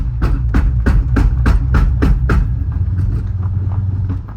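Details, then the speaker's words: Manual-swapped C6 Audi S6 after a second-gear pull: heavy metallic bangs about four a second, slowing as it coasts, like a sledgehammer underneath; won't drive in first or reverse; rear differential suspected blown. "sounds like somebody's down under with a sledgehammer beating on [Music] it oh that's so bad"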